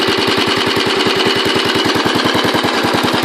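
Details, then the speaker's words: Royal Enfield Bullet 500 Classic single idling after kickstart: steady thump, about nine beats a second, with light even ticking on top that the owner identifies as the tappets going. Ordinary tappet chatter, normal. "If you get a decent exhaust on it, it will sound a lot better, but oh, it smells lovely. You can hear the tappets going there."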